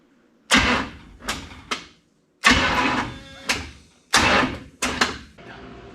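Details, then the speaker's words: New starter on the burned-up rat rod "Doje'llac": short cranking bursts trailing into a rough grinding growl; Bendix drive binding in the flywheel ring gear and not releasing; owner adding shims, considering nose cone swap. "the Bendix is not releasing so going to have to put a couple shims in there one or three I don't know"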